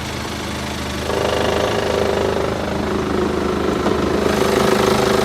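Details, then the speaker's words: BMW 5 Series F10 with N47 diesel at idle in the engine bay: quiet idle, then a thud as reverse is engaged and the note stiffens and drones, same noise as over speed bumps; broken engine mount bracket. "при включении задней передачи идёт также посторонний звук из подкапотного пространства"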